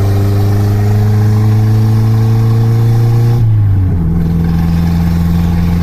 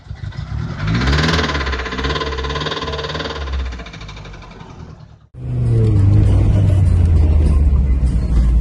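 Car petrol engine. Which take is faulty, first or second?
second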